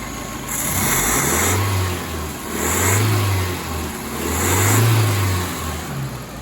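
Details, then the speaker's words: 1985 Nissan 720 freshly rebuilt engine, warm after about 15 minutes running, revved while watching exhaust; clean throttle blips settling to smooth idle, no knocks or misses; some oil smoke, expected as rings seat. "let's check out the exhaust as i give it a rev here that's oil that's understandable though"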